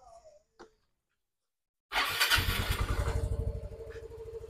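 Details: Yamaha Mio i125S scooter that showed error 19 and would not crank, fault traced to the side stand switch: after a quiet pause it starts first try and settles to an even steady idle putter without stumbling.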